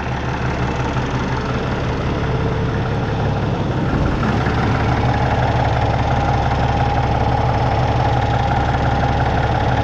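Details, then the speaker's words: Peterbilt with an ISX Cummins CM2250, after repairing a front structure oil leak that used to leave oil under it: steady, smooth low diesel idle with no misses or knocks; no longer leaking, warming up before an oil change. "yeah she's not leaking now looking good"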